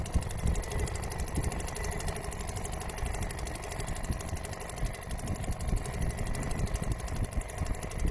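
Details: Restored old Seagull 40 Plus two-stroke outboard running in the sea at higher revs. Fast, even buzz holding steady with no misses, knocks or grinding; pumping plenty of water, stops pumping at low revs. Normal running, nothing wrong.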